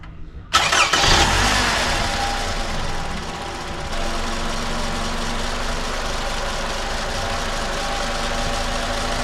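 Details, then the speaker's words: 2010 Toyota Camry after replacing a noisy alternator: brief crank, catches and settles into a smooth, steady idle with no knocks, ticks or squeals; everything quiet, normal idle. "all right so here we go no noises everything's nice and quiet I would say that's a win sounds good yeah no complaints here"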